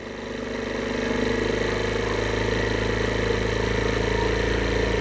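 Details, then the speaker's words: 2022 Chinese carbureted scooter: cold start with the enricher on and idle screw raised slightly for warm-up. Small single-cylinder putter climbs briefly, then settles into a steady even idle; it should idle down when the enricher comes off. "turn it up just slightly more during the idle warmup process about right there and then when the enricher comes off it should idle"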